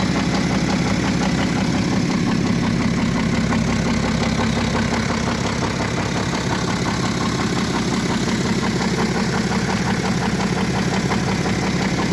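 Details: BMW F07 535d xDrive GT diesel with engine damage: steady idle with a loud, even metallic clatter throughout; internal engine rattle of unclear cause.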